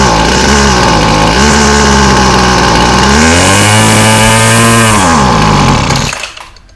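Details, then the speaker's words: Weed Eater FeatherLite Plus FL26 two-stroke trimmer, 40:1 fresh mix, new fuel lines, before carb replacement: revs high and uneven, sags and surges, then dies when choke is turned off; runs only on half choke; faulty carburetor. "Will not run unless it's on half choke, and then it always stalls."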